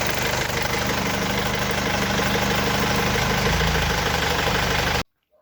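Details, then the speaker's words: Mercedes W210 diesel at idle after the faulty refrigerant pressure sensor was fixed and the system recharged with R134a. The note drops and thickens as the compressor clutch engages; pressure normalizes and the AC compressor runs normally. "the pressure our vacuum has dropped as you saw almost to three is now normalizing the compressor started all the fault was the sensor and the master who lowered the freon"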